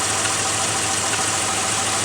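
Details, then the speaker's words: Mitsubishi Montero petrol engine, previously would not idle and shook as if misfiring, now idling steadily on its own without pedal; even idle with hiss, an exhaust leak audible, no violent shaking. "the truck is sitting and it's running and it's idling on its own no to pedaling"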